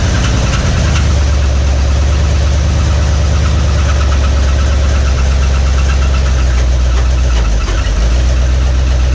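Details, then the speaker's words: 1961 Mercury Meteor V8, first start in decades after ignition work: loud heavy idle with hard knocking clatter; no oil pressure, oil pump shaft under distributor found broken. "But yeah, it ran, but didn't have no oil pressure. I was like, what's all that noise? And it makes sense now."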